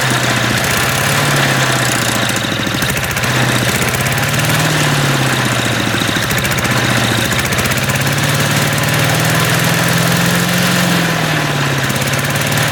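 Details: Old MTD walk-behind lawn vacuum blower after sitting about 3 years, hot, choke off, may dislike throttling up and down: loud ragged drone with wandering speed, sounds about to detonate; rough running.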